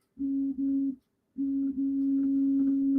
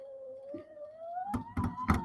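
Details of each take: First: Returned SainSmart Infi-20 belt 3D printer after opening it and fixing the loose Y-axis belt: clean steady stepper hum in four even moves, no skipping or grinding; printer working, X axis works too. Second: Returned SainSmart Infi-20 belt 3D printer, Y axis pushed by hand: faint rising hum then sharp irregular clunks as belt teeth skip on the pulley; owner suspects belt is loose.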